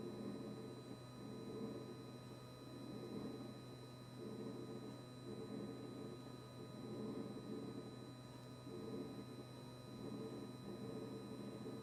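Steady low hum with a fixed buzz that never cycles off, plus a faint high whine; compressor running with a constant buzzing noise.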